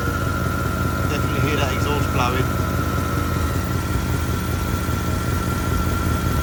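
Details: Porsche Cayenne GTS 4.8-litre V8, started after oil and filter change to check for leaks; steady idle with puffing, chuffing rasp on exhaust pulses; exhaust leak blowing somewhere.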